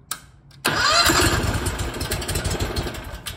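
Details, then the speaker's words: 1980 Rounder L600 on its first start with a newly installed Predator 670 twin, fuel not yet reaching the engine. Brief crank, then it catches on starting fluid with an uneven, rough, wavering burble; a cranking no-start. "i'm gonna give it a little bit of uh go juice here because this thing is gonna have to run for quite a while to get the fuel to the engine"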